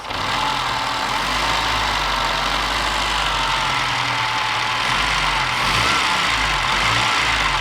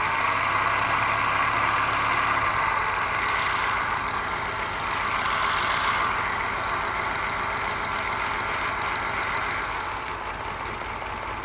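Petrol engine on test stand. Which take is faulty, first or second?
second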